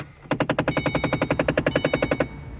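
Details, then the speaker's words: 2005-09 Ford Mustang, on turning on the car: rapid, even knocking behind the dashboard, about eleven pops a second, likely from the faulty AC floor door actuator motor behind the HVAC unit. "noise if so that is likely the floor door actuator for the AC don't be scared"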